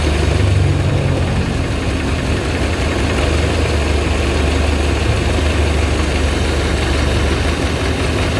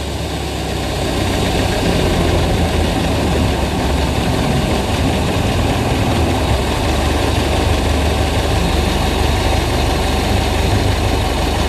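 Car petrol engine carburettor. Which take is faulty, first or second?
second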